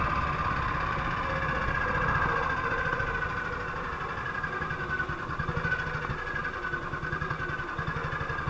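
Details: 1958 BSA C12 single on a road test after its misfire was fixed: a steady, even thump at a quick pace with no stumbles or dropped beats. Running clean, it sounds like it used to.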